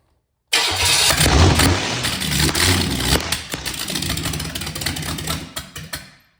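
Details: Vortec 350 V8 converted to carburettor for a 1970 GMC C2500, old carb, points ignition, timing unknown: starter turns briefly, engine catches at once and runs a few seconds evenly; healthy start, about 50 psi oil pressure.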